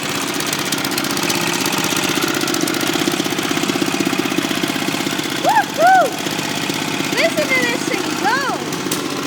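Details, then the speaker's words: 1981 Kubota gasoline four-stroke rototiller engine at fast idle, brisk steady putter with no misfires, knocks or surging; exhaust hot, warmed up quickly, kill switch works; sounds good, normal running. "go kill switch works woohoo this thing sounds good exhaust is hot too that didn't take long to get warmed up"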